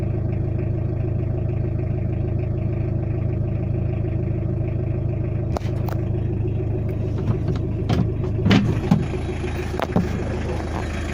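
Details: Tata Indica diesel engine idling with a steady, even low rumble, no misses or stumbles, after rough idle fixed by calibrating the injection pump and replacing its rotor blade and camshaft.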